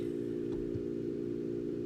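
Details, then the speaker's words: Enermax NEOChanger RGB pump/reservoir combo (400 ml) at 3,000 RPM setting (display reads 3,500): much louder steady mid-pitched whir like a GPU blower fan at medium speed, no knocks or rattles; normal. "It's much louder now. It sounds like one of those integrated like blower fans from a GPU at medium speed."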